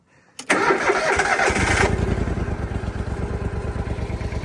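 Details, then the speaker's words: Propane-powered commercial lawn mower from an auction lot: quick crank, catches at once and settles into a quiet, even idle with no misses or knocks; healthy running engine. "they're quiet. They don't stink."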